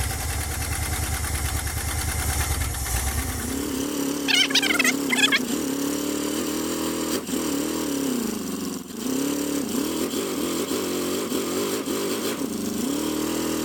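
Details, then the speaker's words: 1977 Dodge van 318 V8 2bbl after mileage/horsepower rebuild with changed air intake, first cold start: catches into fast warm-up idle easing to quiet even burble in gear, no ticks or knocks. Normal idle. "that's idling in gear sounds good guys what do you think quiet as can be"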